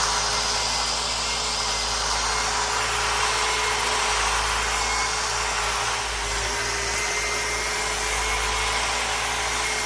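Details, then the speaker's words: 25-inch California Trimmer Catalyst reel mower, Honda GX160, 7-blade reel, mowing after reel-to-bedknife adjustment and backlapping, set slightly tighter: steady engine under a bright hissy reel whirr with faint metallic brushing, not too tight. Normal cutting. "I can hear the reel a little bit more, meaning I could hear a little bit of that metal to metal contact, but by no means is it overly tight. By no means is it too tight."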